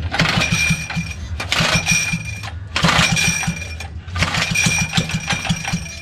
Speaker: right dude this thing is backfiring look huh well it's cuz it doesn't have it it doesn't have an exhaust